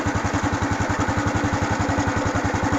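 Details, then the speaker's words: Honda Wave 110i (fuel-injected) after replacing the fuel pump with a new genuine one for a start-no-start fault; steady single-cylinder putter about nine beats a second, no stumbling or misfire, healthy stable idle. "ผมบ่มีสะดุดครับดีครับเดินเบาครับครับครับนี่ครับผมก็แสดงว่าโอเคครับ"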